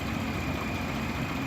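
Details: Slow-starting minivan at idle, alternator judged good: even smooth idle, steady low hum, no knocks or whine.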